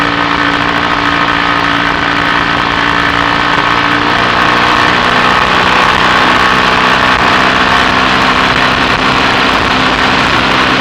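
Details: BSA A65 Thunderbolt twin with Boyer ignition on a test ride, plug gaps closed slightly to cure a misfire under load: steady, even drone under load with no popping or stumbling; the misfire is confirmed sorted.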